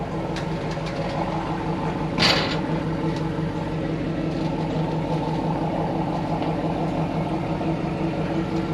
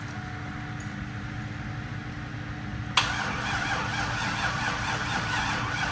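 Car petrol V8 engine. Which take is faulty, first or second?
second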